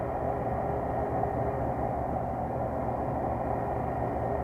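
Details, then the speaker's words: Walk-in cooler compressor starting after bad capacitors replaced: steady, even hum and whoosh with no clicking or stalling, runs normally; TXV and defrost clock still to adjust. "And uh, let's see if this thing will start up. Okay, the compressor started."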